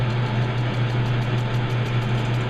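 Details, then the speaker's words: Truing the front roller of a Harbor Freight 4x36 belt sander on a lathe, feed just increased: steady motor hum with sharp chatter pulsing about six times a second as the tool dances on the out-of-round roller. Intermittent cutting. "Yeah, this thing is just dancing all over the place."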